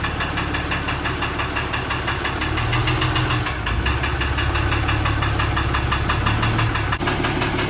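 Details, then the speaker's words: 6.7 Cummins common-rail turbodiesel in a Dodge Ram 3500 at idle: loud clatter with a hard repeating knock about three per second; internal knock still undiagnosed, engine being pulled to find it. "hear the knocking in the other video. Pretty easy to hear in this one."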